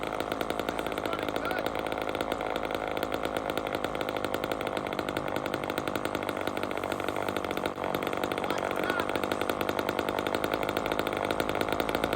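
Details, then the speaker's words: Chainsaw carburetor tuning: screaming two-stroke buzz holds fast and even, with revs creeping higher as the high-speed screw is turned in. The high-speed mixture is leaning out. "so see I lean it I lean out the load yet and it starts revving up"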